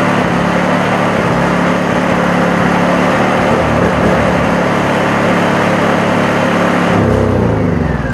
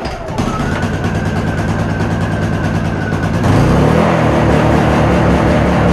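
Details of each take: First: Honda EU2000 inverter generator after the carburetor jet repair: steady, even engine drone with no hunting or surging; running much better, though it may have a few other issues. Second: Honda EU2000 inverter generator with a new carburetor whose jet was wrongly altered following internet advice, started with eco throttle off: hums steadily, then jumps louder and busier instead of settling. Hunting surge from the carburetor jet fault.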